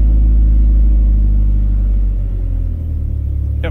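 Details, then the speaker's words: 1997 Ford Ranger 2.3L inline-4, 5-speed manual, towed in with no start after the clutch pedal popped to the floor: after replacing a broken bushing it starts and idles with a deep, even rumble of about 3.5 pulses per second, no misses or knocks. "let's see if she starts oh there we go perfect"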